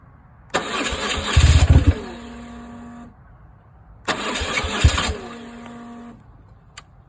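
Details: 2002 BMW R1150GS Adventure after Hall effect sensor replacement and all new in-tank parts: two cranking bursts of about two seconds, starter churning steadily, engine never catches; cranks but will not start.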